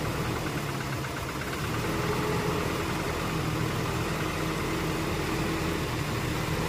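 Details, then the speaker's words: Toyota Innova 1TR with vibration and no power, after a dead coil was found and plugs, air filter and throttle body replaced, fuel regulator still disconnected: lumpy idle with dull knock persisting. "Nah, kami masih menemukan sinyal, masih ada bunyi ketukan setelah mengganti throttle body"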